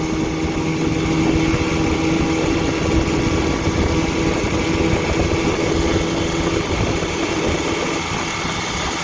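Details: 1959 Evinrude Golden Jubilee Sportwin 10hp outboard with a fresh water pump, good clutch dog, ignition tune-up, rebuilt carburetor and a rebuilt 1954 Johnson CD gear case, test-run to check the powerhead: steady, even two-stroke idle, no misses, knocks or surging.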